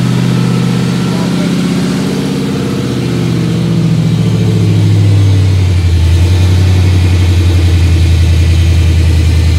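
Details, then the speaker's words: 1955 Chevy V8 idling and revving after a Speedway Motors disc brake conversion and fresh Magnaflow muffler install: deep, even rumble through the mufflers with no rasp or blatting; the exhaust sounds healthy and much better than before. "a lot better how's it sound in there how's it sound that's a lot better round now okay good"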